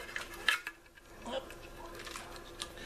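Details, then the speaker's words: Philco 624 radio speaker being tilted: light gritty clicks and rattles from loose pieces inside behind the cover, possibly dirt or glue coming off; cone glue loosening around edges, needing repair. "There's pieces rattling around in here. I don't know if they're dirt or if it's the glue that's coming off here."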